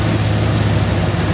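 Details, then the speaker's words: Cadillac Escalade idling after coolant refill during a head gasket block test: deep, even idle rumble, no ticks, knocks or stumbles; head gasket tests good, leaking radiator still pending. "Alright, I flapped long enough. Head gasket's good. Now we'll see if they want us to do the radiator or not."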